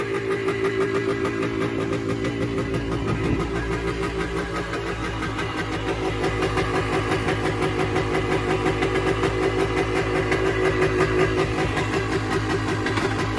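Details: 1978 Yamaha DT250 two-stroke, first start in about six weeks, cold weather: crackles at a fast raised idle that swells and eases without settling, even with choke off; oil light newly on, cause unknown.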